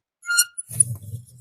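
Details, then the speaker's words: Yamaha Fino scooter front disc brake: brief high-pitched squeal as the wheel turns, sometimes sticking; caliper sticks and drags, pads to be checked. "เสียงเบรคแล้วรู้สึกว่าบางช่วงหมุนแล้วมันติดด้วยนะเนี่ยมันติดเห็นป่ะ"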